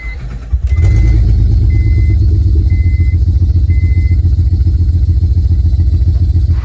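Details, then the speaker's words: 2006 Honda Pilot being resurrected, intake boot attached without MAF: runs better at low rpm but shaky and stumbling when revved; scan shows misfires in cylinders two and three (bank one), owner suspects busted catalytic converter. "it's running a hell of a lot better well at low rpm when you rev it it's really shaky here but yeah overall it seems a lot happier"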